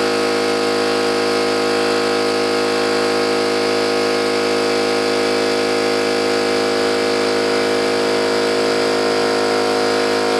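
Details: New oil-lubricated Campbell-Hausfeld air compressor, replacing an old Brute with a leaking unloader valve, filling its tank with drain valve closed: smooth, even pumping drone with a steady pulse near 160 a minute and no metallic clatter; healthy, normal pumping.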